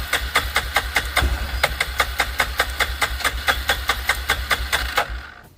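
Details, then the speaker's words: 2006 Arctic Cat 400 4x4 quad, fresh gas added, on jump pack; starter cranks steadily about four pulses a second but never catches; suspected not drawing fuel, later started with brake cleaner as starting fluid. "I'm going to grab some ether real quick and we'll give that a try."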